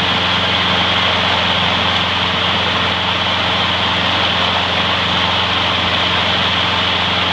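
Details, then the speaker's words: Trash-found mower after freeing a stuck carburetor float needle and topping up low oil: steady high-pitched buzz at one fixed speed, no surging or sputter; smokes slightly, may clear after running in; runs great. "gildan smokes just a hair it might clear up after its run in a while so not to worry about that seems to run great"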